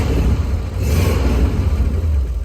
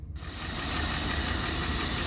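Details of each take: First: Rolls-Royce, slightly warmed up, before the intermittent ignition cut-out recurs: a deep, smooth note rising and easing through a rev with the small fuel pump audible, no knocks or rattles; normal running. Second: Rolls-Royce V8 at idle, slightly lumpy, with a light quick tick on top, often mistaken for a bottom-end knock or valvetrain tap, actually the suspension system pump buried in the engine V.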